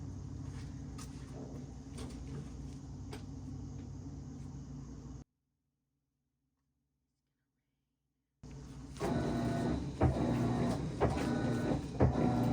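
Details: Whirlpool/Maytag washer WTW5105HC2 in factory diagnostic mode after lid locks: low steady hum, a pause, then louder motor run with irregular clunks as the drum engages; normal drum activation.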